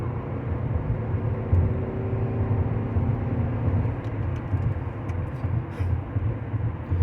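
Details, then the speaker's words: 2005 Buick LaCrosse, GM 3800 3.8 V6, after replacing spark plugs and wires for an intermittent P0300 misfire when wet: accelerating onto the highway with a smooth, steady rumble and no stumble. Idles and takes off far better than before. Normal acceleration. "you can already tell a huge difference in this just in the way it idles in the way it takes off just before it was real sluggish to take off and would eventually wind up there"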